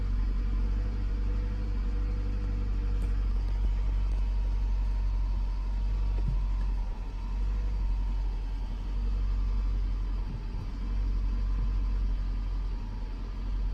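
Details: 2006 Toyota Camry: deep rumble with uneven beat, occasional dips and stumbles; misfire occurring only at low rpm, cause unknown.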